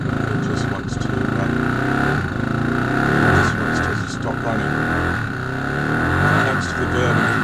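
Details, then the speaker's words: Moto Morini 250 2C motorcycle being rebuilt: it runs unevenly with irregular pops and bangs over a rough drone and won't take at a set throttle. The owner suspects it isn't drawing fuel through the carbs and plans ultrasonic cleaning and new jets. "engine starter it just doesn't seem to want to draw through the fuel to get regarded you can hear it popping and banging"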